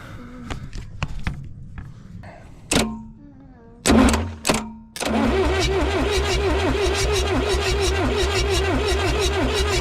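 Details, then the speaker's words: Abandoned Lull Highlander 844 telehandler, jumped directly at the starter solenoid, no starting fluid: brisk, even cranking with strong compression pulses but no firing; crank no start, cause unconfirmed. "It sounds like there's compression. It sounds like we're turning it over fast enough where even if we had low compression, it should start."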